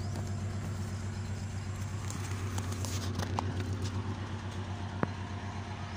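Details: Honda petrol engine after cleaning for rough, erratic high idle: steady, even low hum as the rpm drops and settles to a smooth idle around 700 rpm. Normal idle.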